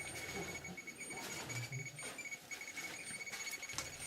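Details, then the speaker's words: Chernobyl hospital basement, 2013: radiation detectors give rapid nonstop clicks under repeating beeps from a room full of highly contaminated clothing and a firefighter's boot; high uniform contamination. "i was getting intense readings as you can hear lots and lots of counts all the devices i had with me are in allow mode you can hear the beeps and clicks and everything"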